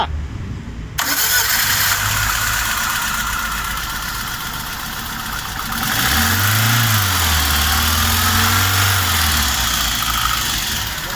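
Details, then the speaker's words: On a VAZ-2113 that overheated after long high-rpm driving and nearly stalls at idle: it cranks, catches and revs unevenly with an irregular stumbling idle; one cylinder seems to be misfiring, and its spark plug was later found melted with aluminum deposits. "Заводится, конечно, нехорошо, как будто в одном цилиндре проблема. Да."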